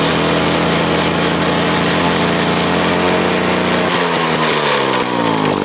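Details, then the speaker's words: Clinton two-stroke lawn mower engine, removed from the mower, with the carburetor gone through. It gives a crisp, even buzz, then revs up and down smoothly with no misses; it runs clean and healthy. "this motor is actually really nice it's a two stroke runs really good"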